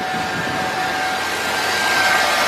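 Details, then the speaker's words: 2007 Chevy Suburban after replacing the serpentine belt and belt tensioner pulley to cure a squeal: engine runs with a smooth steady hum, no squeal or chirp; belt drive now quiet. "everything out nice and quiet nice and quiet enough that you want to hear"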